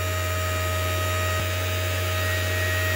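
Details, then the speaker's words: Dynamotor of an ART-13 transmitter on its first run, bench-mounted and fed from a bench power supply. A steady low hum with a constant whine and an airy cooling-air rush, no knocks. Bench vibration probably makes it louder than it will be installed. Running normally. "wow there it is listen to that baby go now it is sitting on a on a bench with uh that's probably very uh makes a lot of vibration so it's probably louder than i think it'll be once i get it in another position"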